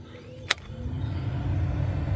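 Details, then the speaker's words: MK3 Golf GTI heater blower that previously worked only on setting 4; after the blower motor resistor was replaced with one from a Vento, a switch click then a soft, steady whoosh on the lowest speed; normal blower operation. "Oh, I can hear the fan going on"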